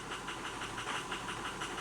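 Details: 2005 Ford F250 6.0 Powerstroke with rebuilt 190cc, 30%-over-nozzle injectors, IPR at 40. Lumpy idle with an uneven tick-and-hiss beat six or seven times a second; rough misfiring idle, power balance erratic, over-fueling on cylinder 3 suspected.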